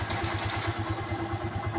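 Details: Yamaha Byson that would not electric-start, after replacing the starter bendix with an original part: now starts; single-cylinder idle with even quick low thump, steady, no knocks or grinding; normal idle.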